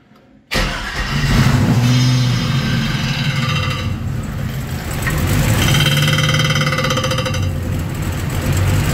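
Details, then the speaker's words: Hot rod with rebuilt 4L60E transmission, run to temperature to set fluid level: a loose tinny rattle about four per second over the hum from the bell housing; owner suspects a backed-out bolt contacting flywheel or torque converter. "To me, it sounds quite tinny, almost like there's a bolt that's backed out and is maybe contacting the flywheel or the torque converter itself."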